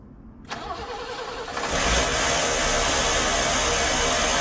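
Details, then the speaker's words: BMW E30 started after new header bolts and nuts and exhaust leak repair: starter whirr, then a loud raspy uneven idle that never settles before it stalls itself; owner suspects something in the exhaust. "running kind of [ __ ] I think there's something in the exhaust it just killed itself"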